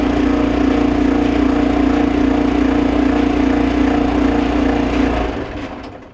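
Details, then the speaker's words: Maytag Neptune MDG5500AWW dryer running with a loud droning hum and steady pulsing throb about twice a second; customer complained of loud noise, blower wheel (part 33001790) suspected before disassembly. "so seems like maybe something going on with the blower wheel so we're going to go ahead and take it apart and see what we can find"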